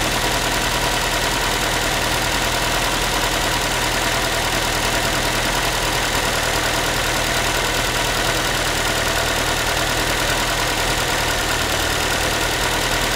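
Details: Ford Focus 3, 1.6 engine (125 hp), steady idle after a cold start: a thin, tinny, pan-like metallic rattle runs fairly constantly through the engine note. The owner is asking what it is, and the cause is unknown.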